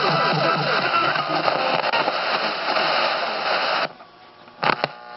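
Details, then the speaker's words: Vintage Motorola TP81BN AM/FM transistor radio, FM dial shifted down, owner suspects failing converter transistor; loud steady hiss swamps everything about four seconds then drops, super sensitive but picking up only noise overpowering FM stations. "It's like it's super sensitive, but all it's picking up is noise. And the noise is overpowering the FM stations."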